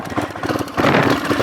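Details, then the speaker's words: Small pit bike roll-started downhill in second gear after it tipped on its side and would not start. It stutters and pops unevenly, then catches into a ragged run. The owner suspects a flooded carby (too much fuel), not confirmed. "Yeah, I know, it probably just got way too much fuel sitting in the Carby. Too much fuel sitting in the Carby, I think. Just choked it all up."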